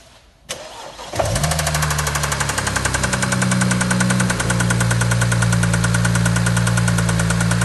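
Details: BMW E93 335i N54 starting and idling, with a few light revs, under a loud, rapid, even metallic rattle that never fades; owner suspects big end bearing damage, not confirmed.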